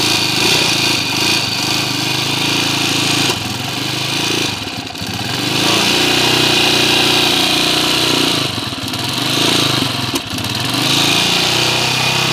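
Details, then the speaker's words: Honda TMX155 motorcycle before the engine rebuild, still noisy after four mechanics worked on it: loud, harsh mechanical clatter with brief stumbles and hiccups at about five, nine and ten seconds. "[Palakpakan] kanina [Palakpakan] sinisinok pa okay narinig niyo na yung andar nung kanina mga bro maingay"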